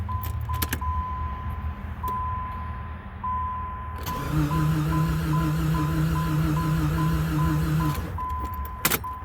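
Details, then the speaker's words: 1995 Jeep Grand Cherokee Laredo, no start after power antenna wiring work and removing a passenger-side connector box: chime beeps then steady low whir for about four seconds, no cranking, no fuel pump prime; no-crank electrical fault, cause unknown. "but now when I do she won't even go into a crank no start she seems to be just going whirring"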